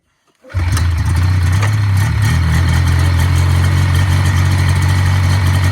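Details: 1980 Yamaha SS440 Exciter snowmobile two-stroke, revived after sitting about 20 years, fuel primed after a cracked fuel line, throttle still a little sticky; it catches right away and settles into a strong, even buzz with no stumbling or misfire, running healthy.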